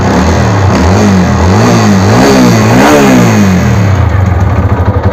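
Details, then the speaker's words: TVS Apache RTR 200 4V motorcycle, 56,367 km, engine repaired three to four times before, with the problem returning within six months. Revved up and down, it gives a rough, uneven growling note with irregular pulsing; the mechanic suspects the pistons, unconfirmed. "Hello दोस्तों इस गाड़ी के अंदर इस तरीके की आवाज आ रही है इसको गुरु बज रहे हो और साथ में यह वाइट इसमें ऐड कर रही हूं"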